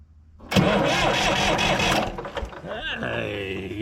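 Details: Massey Ferguson 245 three-cylinder Perkins diesel tractor, sitting 12-plus years, first start attempt after fixing a burnt key wire; starter turns it over briskly and it catches into a steady idle: healthy cranking and starting.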